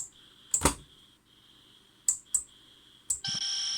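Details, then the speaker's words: Racal TRA967 VHF manpack transceiver on 13 V current-limited bench supply, heard through earpiece on accessory socket: quiet hiss broken by short high bleeps then steady tone, the warning that the synthesizer is not in lock. "Oh, there's a hissing there. Sometimes you get a bleepity bleep, which indicates you're not in lock."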